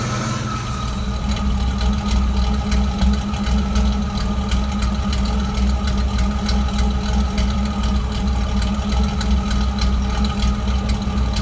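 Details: Uneven, lumpy idle with irregular stumble in the low thrum; misfire at idle unchanged with MAF sensor disconnected or reconnected, cause unknown.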